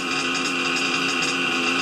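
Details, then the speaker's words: RC nitro engine after idle tuning for single-stage idle: thin high buzzing idle holding constant pitch, no sag or hunting; stable healthy idle. "no revving up a nice stable purr"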